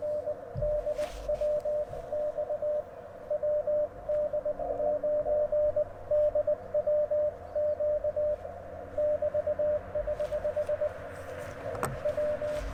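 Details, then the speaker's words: Sideswiper (cootie key) QRP CW keying into an Icom IC-705 with AlexLoop antenna; steady sidetone with occasional crackles and ragged elements as the key contacts misbehave; operator then adjusts the key. "SS like the contacts are having a little bit of an issue here you hear that crackling"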